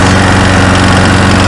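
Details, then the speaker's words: Curb-found Snapper SPX mower engine, reportedly low on compression, now puts oil out the carburetor with smoke: loud, uneven, lumpy single-cylinder chug, running rough; owner suspects a burned head gasket. "okay well I did get this Stamper started but we had oil coming out of the carburetors and some smoke so I'm pretty sure that the head gasket is probably burned up"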